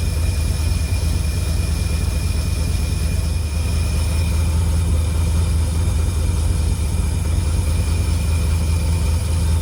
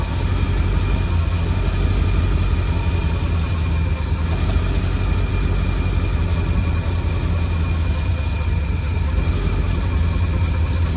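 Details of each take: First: 1952 Cadillac Series 62 barn find V8, revived after sitting for decades, idling after the generator was oiled and the leak fixed: a deep, even V8 rumble with only a faint high whir left. It idles smoothly. Normal idle. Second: 1952 Cadillac Series 62 barn-find V8, revived after decades of sitting, idling warmed up: a deep smooth idle with a thin steady whir on top.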